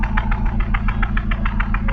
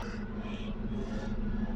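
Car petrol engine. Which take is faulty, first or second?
first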